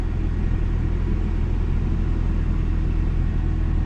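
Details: 2001 Toyota Tacoma at a junk-car auction, 247,000 miles, no warning lights: low, even petrol rumble with a steady pulse, no knocks or misses; normal idle.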